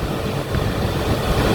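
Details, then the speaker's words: Toyota Avanza rear aircon blower, repaired with an electric-fan bushing plus slight rotor and spacer adjustment, at speed 3: even, steady airflow roar with no grinding or rubbing, where it once ground like stones; normal operation. "So yan, swabe na siya. Yan, naka number 3 na yan, oh. Yan, wala nang ingay."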